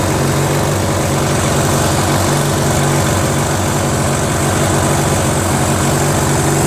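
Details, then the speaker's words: Briggs & Stratton 16 HP opposed twin, found in the trash, with a freed stuck valve, flushed, fitted with a carburetor and mounted on a Murray garden tractor: a loud, lumpy, uneven idle; carb idle screw and timing need adjustment. "so how about that fellas start it up ran idle timing needs to be done a little bit"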